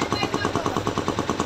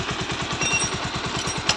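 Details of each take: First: Bajaj Pulsar 125 BS6: quick, regular phat-phat popping, about ten a second, as the throttle closes; it is masked at full throttle. The air filter was checked and is clear. Cause is a torn intake pipe leaking air, audible on deceleration. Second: Bajaj Pulsar 125 BS6 single idling after repair: the owner complained of a phat-phat exhaust sound at start and low throttle, and a small thin pipe was refitted. A steady, even thump of about seven beats a second with no misses; it now sounds better than before.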